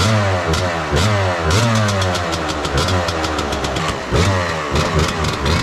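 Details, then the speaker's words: 1998 Suzuki RMX250 two-stroke, reassembled cheaply after overheating and loss of compression (melted aluminum cleaned from cylinder, some pitting left, not bored/relined): crisp revving, picks up and drops back cleanly, no vacuum leaks, responsive, healthy. "Doesn't sound like any vacuum leaks. Nice and responsive."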